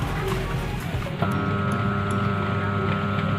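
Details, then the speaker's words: Electric fan motor powered on its speed wires gives a steady electrical hum but won't turn, even when helped by hand; capacitor among suspected causes. "tidak berputar dan ini berdengung kalau dibantu tangan juga nggak bisa berputar"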